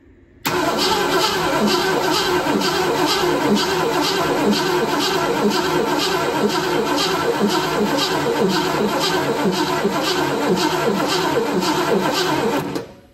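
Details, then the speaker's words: 1966 Ford Mustang GT convertible stored 10+ years, with spark confirmed. The starter spins it at an even three beats a second for twelve seconds but it never fires; the mechanical fuel pump is suspected bad as it barely pumped fuel. "it only made a couple pumps so I think the mechanical fuel pump on the engine is bad"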